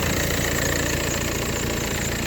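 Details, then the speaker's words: 2004 VW Passat 2.0 TDI wagon: loud, rough, lumpy knocking diesel idle with heavy smoke and lost acceleration, caused by a stuck-open EGR valve. "getting a lot of excessive smoke you can see it this way too it was way more than this and I lost all acceleration and the angels was running really rough"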